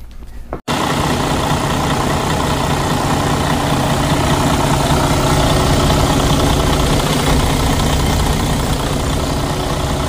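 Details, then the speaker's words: Freightliner DD13 heavy truck diesel after replacing a failed fuel rail high-pressure sensor with a used one: steady, even diesel clatter at idle with no misses, surges or knocks; engine now idles normally. "after uh we did install the sensor. Well, the engine run fine."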